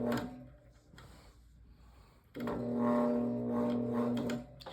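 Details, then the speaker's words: GE Vortalex fan: low steady electrical hum for about two seconds with no clear spin-up, motor just sits and hums while struggling to start. "So as you guys saw it just sat there and just hummed."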